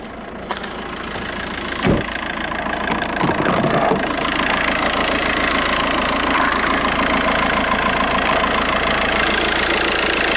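Steady diesel idle with an even clatter and a faint rattle riding over it, consistent with a failing alternator.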